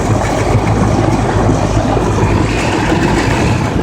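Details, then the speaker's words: Older Goodman heat pump outdoor condensing unit running: loud, steady rushing roar with a low hum underneath and no knocking; the noise is mostly air turbulence in the fan. "It's not that noisy. Most of this noise is air turbulence in the fan."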